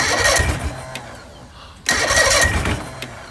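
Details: Bass boat outboard cranked after failed compression tests: two light, even cranking bursts with no firing; piston #4 later found completely destroyed, causing low compression and no start.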